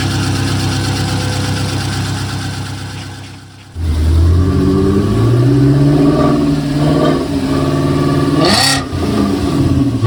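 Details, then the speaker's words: VW Passat W8 4.0L manual 4motion, freshly installed replacement engine (old one suspected of a failed big end) on first runs: rough cranking, then catches and runs steadily with a few smooth revs; "stuff is dry"; normal running. "yeah it sounded horrible but it ran well yeah it started really quickly actually well yeah but it like sounded like like it should"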